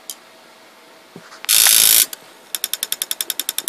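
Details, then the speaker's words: PS3 fat Blu-ray drive after a laser swap (console had yellow light of death): on power-up a half-second rasping grind, then steady sharp clicks about 3.5 per second; owner unsure the new laser works, cause unknown. "okay now can somebody please help me with my problem and uh switch the lens on this damn thing and every time I turn it on it makes this damn grinding"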